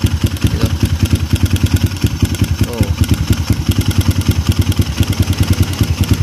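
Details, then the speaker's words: Kawasaki KLX 150 fitted with a PWK carburetor, ticking when cold: single-cylinder idle at about three pulses a second with a light metallic tick on each, sounds like the tensioner but traced to the carb; mechanic suspects weak slide spring; carburetor slide rattle at idle. "Oke, teman-teman, jadi di sini suaranya ada bunyi cek-cek-cek gitu ya. Tapi kalau saya dengar dari tensioner kayaknya enggak gitu ya. Saya malah fokus di suara sini."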